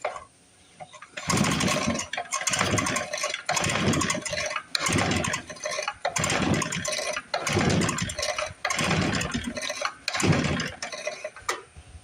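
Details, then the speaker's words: 1955 Briggs & Stratton model 6 (Sears) sat decades in dirt, reassembled, choked, carb cleaner sprayed: repeated pull-start bursts about once a second, no firing or pop; cranks but won't start, weak spark suspected. "I think if we had spark, it should have popped there, but it didn't. Looks like we got a weak spark."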